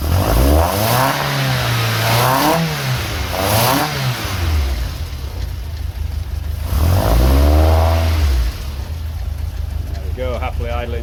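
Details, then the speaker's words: VW Mk2 Golf GTI 16V with bike carburettor conversion, 140 main jets, no choke fitted, started from cold with a little throttle; slightly lumpy cold chug smoothing into steady idle, normal cold idle. "as you can hear it's chugging a little bit just because it's cold that'll soon pick up"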